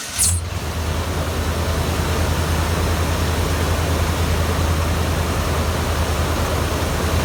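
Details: 1994 Ford Bronco with the 351W engine, after replacing the stripped idler pulley bolt and the idler pulley: a brief crank catches into a steady, even low rumble with no knocks, squeals or misses. Smooth, healthy idle.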